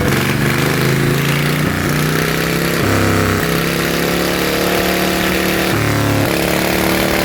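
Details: Yanmar single-cylinder diesel on a loader after rebuild, upgraded to a 100 mm piston with a No. 2 camshaft. It thumps freely as the revs rise and fall, picking up cleanly without misses. Hard to start the first time, easy after; runs healthy.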